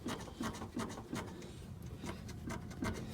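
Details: Front suspension of a car with a known clunk, wheel rocked by hand on jack stands: dull knocks come roughly three times a second as the wheel wiggles, showing play in the original control arm bushing and ball joints.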